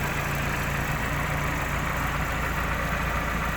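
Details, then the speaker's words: Willys Jeep petrol engine: steady, much quieter idle with only faint light tappet ticking remaining; most earlier noise attributed to the timing chain. "nice quiet idle now much much quieter you can still hear some of that noise so it was some of it is the tappets but I think a lot of it was the timing chain as well"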